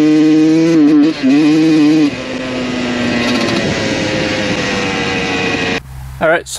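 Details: 1993 Honda CR125 two-stroke, carb not yet serviced, first ride after fixing shifting: idles fine but under hard throttle the buzzy revs wobble and stutter at the top, breaking up; cause suspected, not confirmed.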